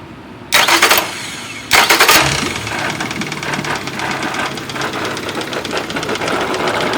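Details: Nearly new Yamaha F70A outboard that began knocking after reverse was engaged at full speed, run without its gearcase with an oil pressure gauge fitted: two cranks, then a rough idle with a sharp, irregular internal knock of unclear origin.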